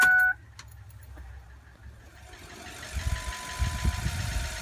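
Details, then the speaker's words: 2004 Ford F-550 after fuel pump replacement: key turned to on before start, a short chime, then a faint steady hum as the pump primes and fills the filter. Normal priming. "So the fuel pump is priming up the fuel right now, and we're going to fill up that filter."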